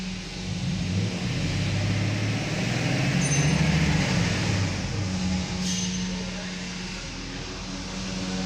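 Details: Mercedes S500 (2000–2006 S-Class), which had failed fuel pumps causing crank no-start: catches cleanly, revs up and back down smoothly with no stumble or misfire; running normally.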